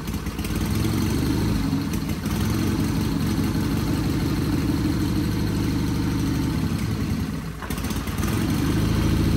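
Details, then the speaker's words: Sears Craftsman FF24 engine, removed for oil pan gasket replacement, at first start-up attempt with oil spraying out: rough, uneven running with a wet bubbling clatter about three pulses a second, gurgling engine noise. "you hear that gurgling in there and you see all the oil spraying on me yeah that's not good so we do have pressure coming out of that fired right up though didn't sound good"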